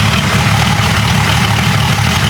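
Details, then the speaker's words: Jeep 5.0 stroker build with longer pushrods, warm restart: deep, even rumble at steady idle with no ticking or knocking and no significant noise. All headers are about 400°, so it idles cleanly. "give her a hot start or a warm start oh yeah no pressure right on the money no the significant noise that I hear anyway all the headers are about 400° that's good"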